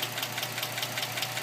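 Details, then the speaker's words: 2007 Dodge Magnum 2.7 with 87,000 miles, idling: sharp light ticking about five per second in time with the engine, appeared suddenly; owner suspects lifter tick, cause unconfirmed. "here's my car it's a 2007 Dodge Magnum got a lifting noise going on on it it's got 87,000 mil on"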